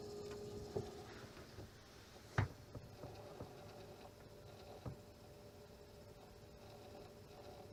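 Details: AMD Vega 64 liquid-cooled graphics card: quiet, uneven chirps and scratchy clicks, a few per second with no rhythm, over a faint steady hum; the cooler pump is grinding.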